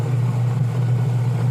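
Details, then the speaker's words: Washing machine after repair (gear case shaft cleaned, wash motor and gear case pulleys realigned), pulsator running: smooth even low drone with no knocks or metal-scraping noise; sounds healthy. "Wala naman tayong naririnig na ingay. Smooth naman po yan."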